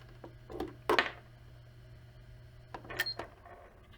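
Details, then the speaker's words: Old 2.5-inch laptop hard drive on a USB-to-SATA adapter: steady low spinning hum with a few handling clicks, then the hum cuts off sharply as USB is unplugged; frequent abrupt stops may harm the disk. "it's better not to plug it to unplug it too many times because the dis uh stops very sharp so maybe it's not very good for the this it should be a problem a few times"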